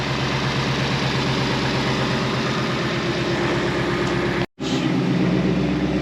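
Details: 2020 Mustang GT V8 after ported intake manifold install: loud idle with uneven, lumpy beat and steady stumble; misfiring because two ignition coils/spark plugs were left unconnected, sounding right once reconnected.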